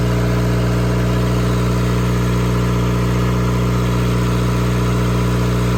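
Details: Cummins four-cylinder marine diesel generator on a 94' Broward yacht, running after fouled injectors were replaced (previously smoking and leaving a sheen on the water); deep, steady drone with even hum, no misfire or knock, no smoke.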